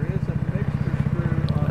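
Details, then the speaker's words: Trail Master 150cc go-kart engine after carburetor replacement, warming up on choke: small single thumping at a quick, even high idle with no misses, healthy. "now what we're doing is we're listening once we've got it warmed up we're listening to the engine smooth out pick up RPM and drop back off"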